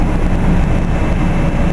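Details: Carrier Infinity GreenSpeed 25VNA inverter heat pump outdoor unit starting in cool mode, same as in heat mode: deep steady rumble with even fan whoosh, no knocking or grinding; sounds odd at startup but this is normal.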